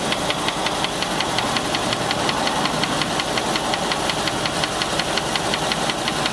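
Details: Land Rover 4.6 engine at idle: sharp regular knock nearly three a second over steady idle; deep internal knock, suspected bad rod bearing, collapsed piston skirt or bad lifter, not confirmed.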